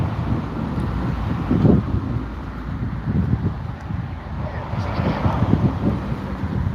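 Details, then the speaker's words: Samsung WD80M4B53IW front-loader washer-dryer with a split tub, on a spin cycle: a deep, uneven rumble from worn drum bearings. Owner also suspects the thermal sensor and PCB are faulty. "Bearings are a little rumbly. Uh, they're quite rumbly actually."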